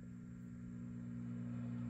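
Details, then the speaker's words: Swart AST Pro tube guitar amp, ear near the speaker: steady low mains buzz with overtones rising slightly with volume; light power-amp hum, thought 60 Hz or possibly 120 Hz. "We're getting some light uh power amp hum. Kind of sounds like 60 hertz to me."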